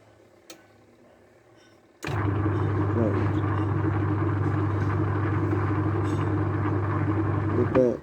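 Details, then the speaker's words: Washing machine wash motor with the selector switch on strong/normal, timer on: the motor starts on its own without a hand spin and settles into a steady low hum with no stalling; the start capacitor is now OK. "இப்போ நாங்கள் சுற்ற வேண்டிய அவசியம் இல்லை, தானாக வேலை செய்யுது. இப்போ கெப்பாசிட்டர் ஓகே."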